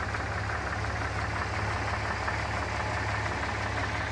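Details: Low, even idle rumble with a loose, uneven knock underneath, roughly one to two per second; weird engine noise at idle, cause unclear.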